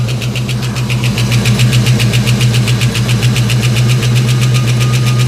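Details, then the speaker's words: 1989 Ford Mustang LX 5.0 V8 convertible, first start after about 3 years sitting, with new fuel injectors and pressure regulator. Crisp, even tick just under four per second over a steady idle. Owner unsure if injectors or valve train. Ticking at idle. "these are brand new fuel injectors I wonder [Music] what in the world is that noise this is crazy guys this car hasn't run in like three years"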